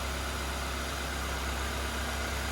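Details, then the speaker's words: Crash-damaged 2010 Ford Fiesta salvage car, no radiator fitted, battery charged, briefly started: steady low idle with even beat, no knocks or rattles; normal idle. "i don't know if that battery would be any good it's been on charge but sounds sweet as an art nothing wrong with that at"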